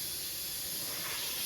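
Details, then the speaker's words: 1999 Harley-Davidson Fat Boy tire: a steady, sharp hiss of air rushing out of the inner tube. The tube was pinched where the tire spoons dug in, or was a cheap, low-quality tube that got a hole, and Slime sealant failed to stop the leak. "I think like dad said, these tubes were just so cheap that whatever they just they just got a hole in them."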